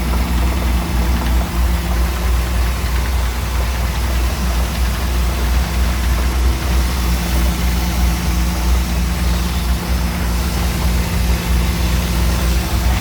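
Deep steady idle with an irregular dull knock, roughly a beat and a half per second, riding under the engine; cause not pinned down. Cause suspected, not confirmed.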